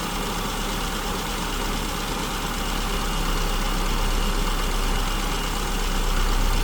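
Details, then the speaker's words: SU-carbureted engine leaned out past its baseline mixture: idle swells and sags without a steady beat, with both the tachometer and the vacuum gauge fluctuating widely. It is a hunting idle from a too-lean mixture. "You see how widely the tachometer started fluctuating? You see how widely the vacuum gauge started fluctuating? So it doesn't take much to go too lean."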